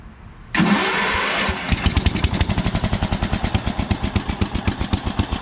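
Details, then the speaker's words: 1971 riding mower, sat about a week, original-looking motor with a new carburetor and air filter, started in neutral on choke: brief crank, catches at once and settles into an even idle at about four beats per second; normal cold start. "at that, starts right up. New carburetor, air filter, motor looks original, and it actually mows grass too."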